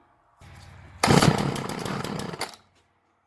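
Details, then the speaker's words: Craftsman 2-stroke string trimmer, model 358.797270, after mixture screws reset to about one turn out: catches and buzzes loud and ragged; it starts. "maybe 15 minutes between wide open and idle but she restarting on the first pull"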